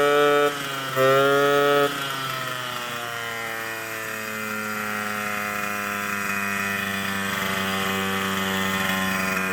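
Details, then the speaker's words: 1979 Suzuki JR50 two-stroke after long storage, exhaust restrictor removed, about 42:1 premix, air cleaner off: it buzzes at a high idle, then the pitch climbs smoothly with throttle without stumbling. Revs out cleanly, though it smokes somewhat and a seal leak is possible. "Well, you heard it. It revs out cleanly now."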